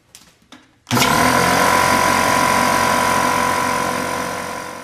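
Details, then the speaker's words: Porter Cable 150 psi air compressor, about 14 years old, starting to fill tank; soft clicks then loud steady even motor hum — normal running. "and I'm gonna start it up now it's gonna make a lot of noise and then we'll get to using the nailer"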